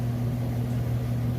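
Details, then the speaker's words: Whirlpool Estate extra-large-capacity electric dryer on auto dry, high heat, in excellent condition: smooth, constant low hum with steady drum rumble, no knocks or squeals; normal running, heating element tube confirmed hot. "go ahead and just hit go it's on auto dry high heat you can see in here that it sounds great"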